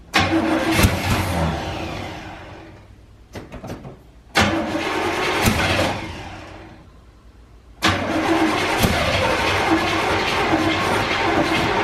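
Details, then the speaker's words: 1984 GMC Sierra C25, 454 big block, sat 19 years. Repeated even starter cranking at about four turns a second never catches; no fuel reaches the carburetor. The old fuel pump, full of old gas, is likely bad. "so we kept spinning it over never could get fuel to the carburetor so we determined it's more than likely this fuel pump is bad"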